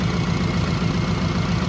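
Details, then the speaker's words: 1968 Chevelle wagon, first start, listened to from the front: steady, even idle with a light, quick tick over the top that is the injectors firing, not valve noise; normal idle with injector ticking. "That sounds good. Only thing I can hear for sure is the uh injectors firing,"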